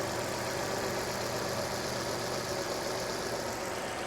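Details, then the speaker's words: 2009 Land Rover LR2, 3.2 I6, 198,000 miles, idling after reassembly with the alternator now turning: smooth, even drone with no knocking, ticking or misfire. No warning lights, and the issue seems solved. "All right, well, it's purring like a old Swedish kitten, so I think that may have solved our issue."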